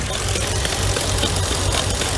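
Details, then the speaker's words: Mercedes W463 G500 at idle after throttle-body relearn: lumpy rough idle with uneven pops and stumbles, engine vibrating, no check engine light; P0444 code, purge control valve suspected as the cause. "that pop up up up that is Broadway vibrating and gonna be doing that those possible that purge control valve is the issue"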